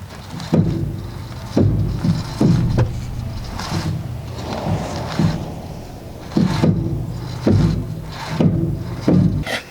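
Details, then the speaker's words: 2014 Ford Explorer, original factory struts and top hats nearly worn out: hollow clunks from passenger-side front wheel well when turning the wheel, top mount binding instead of turning smoothly; fixed by replacing strut assemblies. "including when you turn the top hat doesn't turn smoothly so it makes a clunk noise when you turn the wheel"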